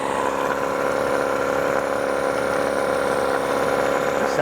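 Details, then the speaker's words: New Hangkai 18hp two-stroke outboard running in a water bucket, just started, telltale flowing: steady buzzing idle at even pitch with a regular beat and no sputter or rattle. Sounds pretty good; normal idle. "sounds pretty good. So, I think you can push that down to stop it."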